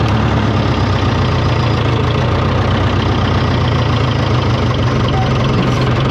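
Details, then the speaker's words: 1968 John Deere 500A diesel tractor (industrial 3020), after replacing 10+-year-old fuel that owner blames for stalling and up-and-down RPM, started on a warmer day after sitting a week: steady even clatter, settled idle, no hunting or misses; normal idle. "this thing's running like a champ today"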